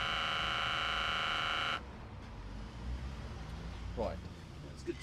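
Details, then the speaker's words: VW Lupo 3L 1.2 TDI gearbox hydraulic pump starting after the hydraulic accumulator sphere (original fitted 2015) was replaced to cure slow selection of first and reverse; microphone left in place, steady electric buzz under two seconds then clean cut-off as pressure builds, normal operation. "I'll actually leave the microphone here and you should be able to hear the pump start up."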